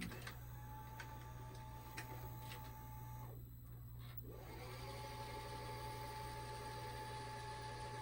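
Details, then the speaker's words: 1992 Shintom VCR450 VHS VCR, second-gen Shintom mechanism, fully recapped, rewinding after a recording test: even, quiet motor whir with a faint hum holding constant, no squeal or grinding; the transport sounds healthy. "Okay, a few minutes are up, so let's hit stop. All right, off the side, and we'll do a rewind."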